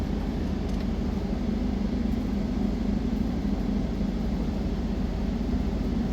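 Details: Candy tumble dryer after replacing a defective thermostat (was not heating): test run on cotton programme, even drum rumble with soft steady churn about three turns a second, no scraping or knocking; dryer runs and heats normally.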